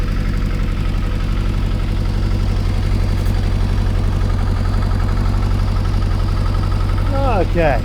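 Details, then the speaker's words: Kawasaki ZXR750 H1 on first start after carburetor cleaning, not yet warm: low, lumpy idle with uneven beat, stumbles and occasional backfires; vacuum gauges show the carbs far out of synchronization. "See on the gauges, carburetors are absolutely miles out of synchronization. Not surprising. It doesn't sound right."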